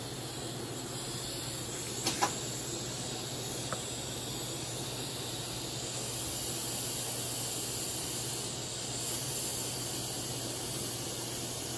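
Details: Econo TIG welder (vintage) after control board repair and updated high voltage impulse transformer, welding a project: steady hiss and crackle over low mains buzz, a few clicks at start; arc holds evenly, welder working properly.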